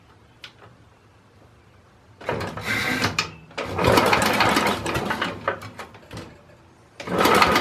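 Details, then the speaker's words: 2010 Simplicity Landlord tractor after timing fix and new flywheel key, starter bumped over to check the key won't shear again: three brisk, even cranking bursts, no clunk or slipping; normal starter cranking. "well that sounds pretty good doesn't sound like it's gonna share off a key again"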